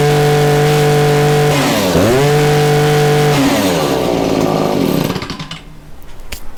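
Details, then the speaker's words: Stihl two-stroke hedge trimmer after clearing a plugged spark arrester, new fuel and new spark plug; revs up cleanly, drops and picks up without stumbling, steady even buzz, no dead spots in acceleration, runs as it should. "there you have it runs good runs just how it should the rpms are a nice level there's no dead spots in the acceleration"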